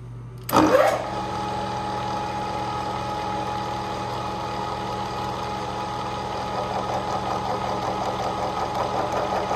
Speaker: what you'll hear is me starting the machine and then advancing the the gear on the right into the mesh to tighten it up and you can hear when it gets noisy and you can hear uh when it stops being